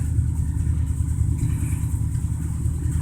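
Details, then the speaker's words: 1987 Dodge Ram D150, 318 V8 originally from a 1971 Dodge motor home, replacing the original 3.7 L V6: a low, even burble at idle with no ticks or knocks; runs great. "but it runs good runs great it's got a 318 in it that originally come out of a 71 Dodge motor home"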